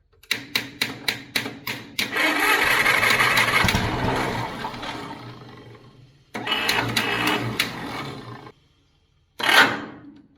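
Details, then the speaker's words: Pony motor on a 70-year-old 1950s barn-find D6 dozer cranks in several pulses, catches, runs a few seconds, then fades and dies; owner guesses a stuck carburetor float let the bowl run dry, causing fuel starvation. "I had to guess, our float stuck in our carburetor. Yeah. The burned what gas was out in the bowl."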